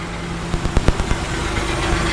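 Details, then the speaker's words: Nissan Z project car, first start after fuel tank install: brief low, irregular rattle over a steady idle, source unknown. "there's that low rattle don't really know where it's coming from"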